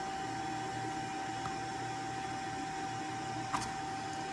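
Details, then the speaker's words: Fabric network switch after reversing chassis and power supply fan airflow, all four chassis fans plus PSU fan set to 40% speed: soft even hum with faint steady whine, no rattle or surging; normal running. "And you can hear the fan running on this. The other fans are running. That's all 4 of the fans plus a power supply fan running on the current platform."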